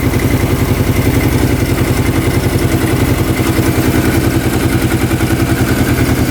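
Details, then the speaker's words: 2005 Kawasaki Prairie 700 twin ATV, stored a couple of years and not starting, fires up instantly and idles evenly with a deep, steady thump and no misses. The crankcase breather blows air with no oil; the owner suspects the oil was once overfilled. Airbox is off. "She fired up instantly. This is blowing air. I don't see any oil."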